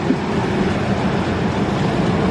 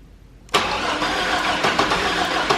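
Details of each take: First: 1998 GMC Sonoma 4.3 Vortec V6, replacement engine for rod knock, after distributor adjustment; smooth steady low idle rumble with no knocking, ticking or smoke; normal idle. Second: 1998 GMC Sonoma 4.3 Vortec V6, freshly swapped replacement engine, first start attempt: starter cranks evenly (~4 turns/sec) but engine never catches; distributor set by owner, suspected of being incorrectly indexed, causing crank-no-start.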